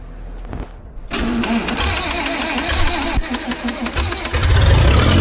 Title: 1950s Lincoln first start in unknown amount of years. Rebuild the carburetor and she fires right up!